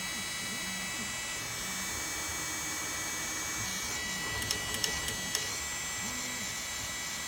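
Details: Bambu A1 mini 3D printer not printing, giving a steady high-pitched buzzing hum with a few sharp clicks midway; abnormal buzzing noise, cause and fix unknown.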